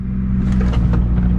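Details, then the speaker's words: 1997 Ford Mustang Cobra (SN95, manual), idling in neutral on a long drive home: low steady drone with faint uneven rustling bursts; transmission noise suspected, source unknown. "hearing a little sound in there hopefully i don't need a whole entire new transmission"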